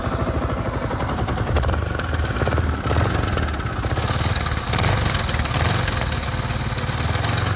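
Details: Second-hand Yamaha R15 V4 at idle: light, fast metallic rattle, a kharkhar noise, over the firing beat; no rocker noise. Timing chain rattle from a faulty timing chain.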